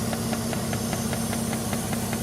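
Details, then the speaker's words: Jeep Grand Cherokee WJ being fixed for EVAP codes, engine warmed up and idling: steady hiss from a suspected cracked EVAP hose, temporarily patched, with the purge valve ticking about five times a second; vacuum leak. "And I don't know, it may be leaking here. I need to get a new hose for this."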